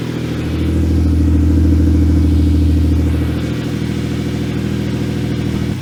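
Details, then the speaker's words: 2011 Hyundai Genesis Coupe after engine replacement for low compression, running with radiator refitted, upper hose still cold; even idle swelling with a light rev and settling back, no misses or knocks; no leaks seen, burning oil smell. "it does run very smooth. Yes, it does. I didn't see anything leaking."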